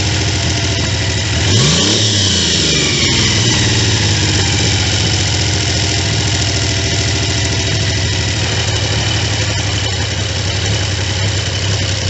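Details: Triumph T150V triple after top-end rebuild (heads and cylinders off for oil leaks), started second kick: steady idle with a quick throttle blip, even firing, no knocks or rattles; runs cleanly.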